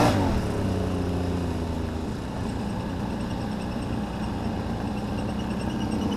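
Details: 2009 Can-Am Renegade ATV with a droning mechanical whir and rough, uneven rattle over the running engine. Owner first suspected a CV shaft but traces it to the CVT housing. It ran fine a week earlier, and the temperature dropped 20 degrees since. Cause unknown.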